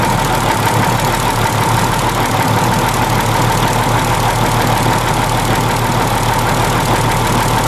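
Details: 1943 Higgins Boat landing craft Detroit 6-71 diesel, running after 30 years idle with rebuilt valves and injectors: loud, steady clatter at a fast idle with an even beat and no misfire, running properly.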